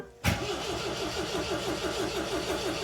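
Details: 1979 MGB, cranking on choke with suspected bad fuel; starter churns at an even beat of about five per second, never catching. Owner says flooded, backs choke down for air; flooded engine, crank no start.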